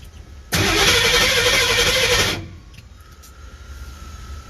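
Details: 1979 Ford F150 Ranger after replacing the burnt blue wire from under the dash to the starter solenoid: starter spins the engine steadily about two seconds, then stops without catching; cranks but won't fire, more wiring still to run.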